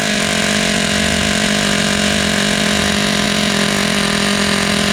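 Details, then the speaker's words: Vintage Team Associated Nitro TC3 RC car, first run after restoration: a high, buzzy nitro note holding steady pitch without cleaning up. The engine is running rich and smoking while it clears itself out, before the idle/throttle trim is lowered. "Now that is what you call rich. Look at that. It's smoking. Seems to be running great."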